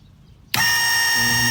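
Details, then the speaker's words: Lippert RV hydraulic leveling system, retract pressed while testing Hydac valve and dual polarity solenoid voltages: sharp solenoid click, then pump motor spins up to a steady even whine with no strain or grinding; normal. "t meter indicated that the dual polarity solenoid which i have connected my other meter to the retract side i'm actually getting a voltage and running that and you can hear the solenoid click and of course you can hear the motor run"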